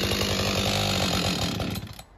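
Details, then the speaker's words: Husqvarna 562XP two-stroke chainsaw, hard to start and won't idle: drops off high revs, sputters unevenly and dies; air leak found at bent decompression valve and dirty fuel filter replaced, still acting up. "okay so I got a 562. um got a bad problem with it want to shut off doesn't want to run right"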